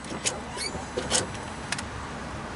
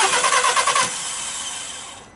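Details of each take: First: Volkswagen Polo: clicks then steady even cranking that never fires, no spark; cause was no positive supply to the ignition coils due to a lockout. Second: Volkswagen Polo that wouldn't start due to no 12 V feed to the ignition coils from an immobilizer/alarm block: short burst of cranking, then the engine catches and settles into a steady idle after the fix.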